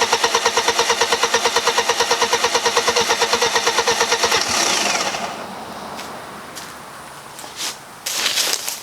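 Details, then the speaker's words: 1995 BMW E36 318ti with turbo conversion, first start after the build: starter spins evenly, about three beats a second, for about four seconds without firing. The fuel pump had not yet pushed fuel up to the rails; it later started with no leaks. "is going to spin over for a little bit because fuel is going to have to get up here"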